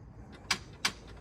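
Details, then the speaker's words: 2017 Ford Explorer Limited, remote start attempt: two sharp clicks about a third of a second apart, then nothing, engine never cranks; no-start, cause unknown to owner. "does anybody know what happened i just hear that two clicks i don't even know what happened"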